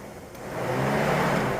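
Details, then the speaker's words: 2007 Toyota RAV4 with crank/no-start, rough running, stalling and many codes: over the idle, the cooling fan whooshes on within half a second each time the ECU harness is shaken. Loose ECU harness connector or broken wire suspected. "eems like they have a harness issue if I shake it again okay you hear the fan coming on every time I shake that"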